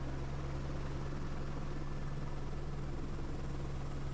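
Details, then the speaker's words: AS350 B2 helicopter turbine start in snowy mountains, fuel fed in until idle of 67–70% NG: steady low rotor thrum with an even hum, no surging or rough beats, settling toward idle. Normal spool-up. "nd then just keep feeding fuel until you reach idle speed, which is 67 to 70% NG."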